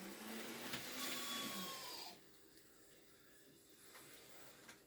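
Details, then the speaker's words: Second-hand Kato N gauge CSX model locomotive on first test run: a thin, high-pitched squeal over the motor's whir for a couple of seconds, then fading as it nearly stops; dry motor suspected, needs lubrication. "Oh, listen to that squeal. Can you guys hear that? He is squealing. Sounds like he's got a dry motor."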